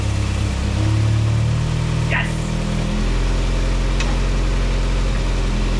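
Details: 1987 VW MK2 Jetta petrol four after a 5-speed manual swap (formerly 3-speed automatic), idling as it's put into gear during garage testing: steady, low, even rumble, no knocks or misses; sounds healthy.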